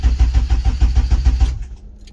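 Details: Car with OBD1 swap and chipped ECU, started with a data logger connected after fitting a JDI main relay conversion kit to replace a bad main relay; quick even cranking about six beats a second for 1.5 s, then catches and settles cleanly.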